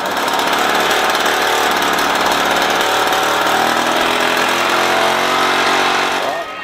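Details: Restored all-original Solex 3800 two-stroke moped engine, fully reassembled with headlight wiring: busy, buzzy note running flat out with steady crackle, no knocks or rattles, then easing off; healthy, before a final ignition timing check.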